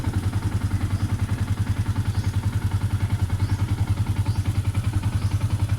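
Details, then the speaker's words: Yamaha Sniper 150 at idle, before replacing the rubber clutch damper with a Honda TMX 155 part: steady idle with an even rattling clatter three or four times a second; clutch rattle from the worn clutch damper. "Let us hear the comparison of my engine sound test before and after the new rubber clutch dumper are installed."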